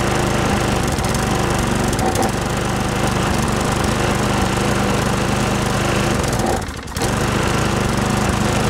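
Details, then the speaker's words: Lawn Boy push mower with four-stroke Tecumseh engine, no-start, brake cable tied, primed by hand: single cylinder chugs then sags and nearly quits before picking up; surging and dying, likely clogged carburetor needing cleaning. "all right so how you know the primer system works so uh this looks like it's going to need a carb clean"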